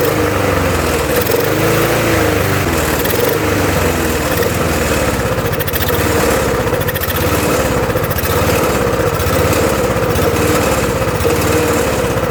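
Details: Murray mower, Tecumseh engine swapped for a Briggs (stated as "brace"), with another carburetor after the first was cleaned four times including ultrasonic: runs ragged, revs surging and sagging without settling; rough hunting run, cause not pinned down.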